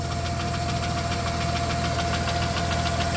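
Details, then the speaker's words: 1993 Plymouth Grand Voyager SE, revived after 18 years parked, idling on a 41°F day with good oil pressure: light regular clicking about three a second from the top end; owner suspects the cam is getting worn; valvetrain ticking. "oil pressure looks good still making a clicky clacky but take a look under here I don't see anything where it's rubbing or making noise"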